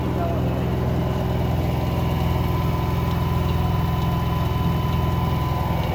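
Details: LG 10 kg front-load washing machine: low, even motor rumble with a rhythmic rattle about 140 times a minute, like pebbles tumbling; vibration normal; grinding from the motor drive suspected, not confirmed.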